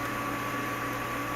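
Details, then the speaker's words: Boiler inducer motor on an HVAC test board, pressure switch proving airflow: smooth steady hum with a constant high tone and even airflow hiss, no rattle or wobble; normal inducer motor running. "My inducer motor is turning on. This light indicates that my pressure switch has proven that we have airflow through our inducer motor."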